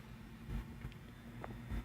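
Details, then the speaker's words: 1931 Emerson desk fan, Model 29646, on the repair bench with its cut speed-control wires temporarily connected, still grease-caked and with a loose cage. Quiet, steady low hum with a faint even drone on low speed. Normal low-speed running. "okay so that's low and it's going here"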